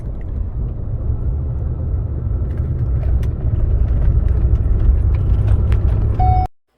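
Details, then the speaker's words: 2011 Ford F-150, 230,000 km, on a highway road test: heavy low drumming rumble and vibration swelling with speed, diminishing on coast, quieter in neutral with light throttle; one-piece driveshaft, cause a wiped-out rear axle pinion bearing, axle rebuilt. "well this is a one-piece drive shaft so there is no hanger bearing but this is what I see wow that pinion bearing is completely wiped out"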